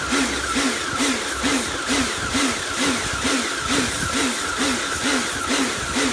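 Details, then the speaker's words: Karcher K2 pressure washer rebuilt from a B202 and K2 after frost damage and motor failure; steady motor roar with a regular throb a bit over twice a second while cleaning; pulsing noise of unknown cause, owner unsure it sounds right. "i'm not entirely sure what uh that pulsing noise is from"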